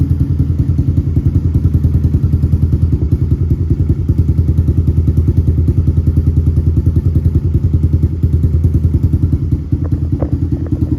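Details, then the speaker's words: Honda TRX 250X quad with a newly installed HMF Performance exhaust, carb not yet jetted (110 main and 40 idle jets planned). Deep, even single-cylinder thump at a steady idle, no knocks or misses; sounds deeper and more aggressive than stock, healthy. "Guys, that sounds so much deeper and more aggressive in person. I'm not sure how well the camera's going to pick it up, but this exhaust was worth every single penny."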